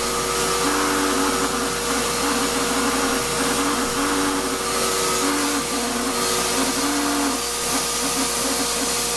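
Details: Shop-Vac vacuuming coarse grit from a rock tumbler: steady high whine, rough gritty edge, faint repeating warble; owner says dust previously pulled through the motor before adding a dust separator pretty much destroyed it, with little suction. Grinding motor whine.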